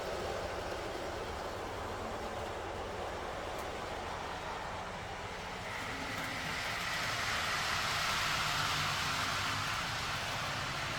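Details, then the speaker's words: TT120 model railway train on the quiet track section: a soft, steady rolling hiss with faint rail clicks. Much quieter than the loud section. "that nice and quiet there lovely go the C again it's really loud running on the C [Applause] that's so much nicer"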